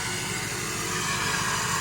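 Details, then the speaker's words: 2001 Ford F450 7.3 Powerstroke diesel dump truck, straight-piped, cold start in winter: loud, raspy steady drone on high idle, which drops to normal once gas or brake pedal is pressed. "It'll do that for a little bit, and then when you hit the gas pedal or the brake pedal or something like that, the high idle shuts off. It goes back to normal."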